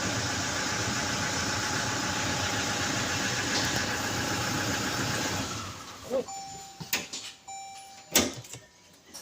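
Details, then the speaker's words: Toyota Hilux 2GD diesel after brake switch fix for P0504, no fault codes while running: steady even idle with no misses or knocks for several seconds before switch-off; normal healthy idle. "Right now we don't have any fault code. So everything right now is working perfect."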